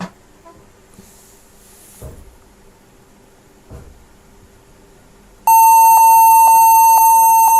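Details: HP 14s-cf2 laptop at startup after enabling legacy boot support in BIOS: steady high-pitched beeps repeating rapidly many times; fix is UEFI boot mode with GPT-partitioned drive.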